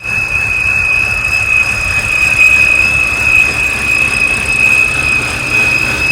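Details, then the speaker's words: BMW E90 with N52 engine at quiet idle: steady piercing whistle near 2.5 kHz, first thought to be a belt, traced to the oil filter housing, a faulty oil filter or its seals. "so for today what I'm gonna try to do is figure out what this high pitch whistling is the easy thought is that that whistling could come from one of the belts or something like that"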